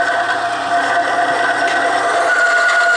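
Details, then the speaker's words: Bearing-and-race friction test machine, weight added bearing down on race, amps rising from 4.4 to 5.8-5.9 A; steady rubbing hum with high even tone: bearing friction under load. "Now you can hear the friction. You can see the amps went up to 5.8, 5.9."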